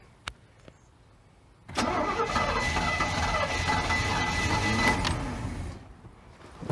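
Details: Bayliner boat inboard engine with two exterior block cracks and four exhaust manifold cracks patched with epoxy putty, on trailer with water hooked up, primed, in neutral: steady starter cranking about three turns a second, never firing; cranks but won't start, cause unconfirmed.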